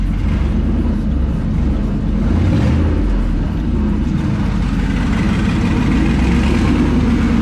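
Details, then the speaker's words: Twin-turbo LS-swapped Foxbody at first start-up after the turbos were installed, not yet tuned, showing 50 psi oil pressure: a deep, even V8 rumble with light revs and crisp turbo noises, quiet with no knocks or ticks; a normal, healthy idle and rev. "Oh, golly. Does that sound fucking good? Got them nice crisp turbo noises now."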